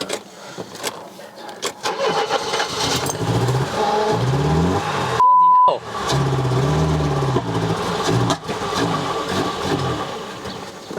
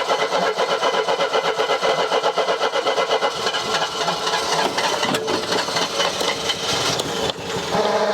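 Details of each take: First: Mercedes W123 230E, first start in about 16 years after sitting: cranks briefly, catches cleanly and settles into a steady, even idle with no misses or knocks; ran well, though low on petrol and leaking. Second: Mercedes W123 230E petrol: steady starter cranking at about four compressions a second for several seconds, never catching. The engine turns over but won't fire; cause unconfirmed.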